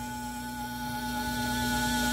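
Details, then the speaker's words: Brastemp frost-free refrigerator (BRM35/BRM43), freezer opened: a steady high whine over a low buzz from the freezer fan. Worn fan motor bushing is the first of three possible causes. "Esse barulho tá sendo oriundo do ventilador tá é o ventilador que tá fazendo esse barulho"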